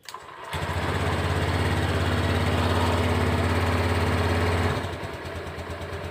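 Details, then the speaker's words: Honda Beat fuel-injected scooter after injector cleaning, no DTCs stored: engine settles into a slow, slightly uneven putter about three beats a second at 1000–1100 rpm versus 1500 standard; idle too low. "ini cuman di 1000 rpm 1100 kadang-kadang untuk kondisi bukaan gas Semua normal"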